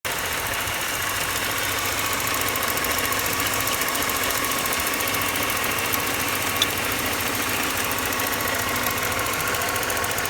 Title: BMW 318ti M42 1.8L engine ticking sound